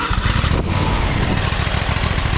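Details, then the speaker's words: John Deere X500 Kawasaki twin after cylinder head replacement (valve guide failure), choke held halfway, owner suspects very bad gas: even steady putter, firm pulses, firing on both cylinders, no misses; normal healthy running. "oh there it is running I have to hold the choke halfway on I think it's got really bad gas in it but it is running on both cylinders there sounds good healthy"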